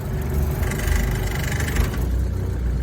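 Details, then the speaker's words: Suzuki Samurai (SJ413) being driven home: low engine drone with loose clattering rattle, worst mid-clip; body panels or trim rattling, owner expects new seals to quiet it slightly; cause unconfirmed. "so can you guys hear how bad this thing rattles"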